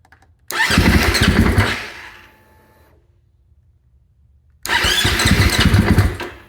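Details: Cranking without firing on a Husqvarna FE 501s enduro bike just after fitting an IMS 4.5 gal dry-break tank and Taco Moto fuel pump assembly; two bursts of quick steady cranking, about four beats a second, no catch; no spark suspected, cause unconfirmed.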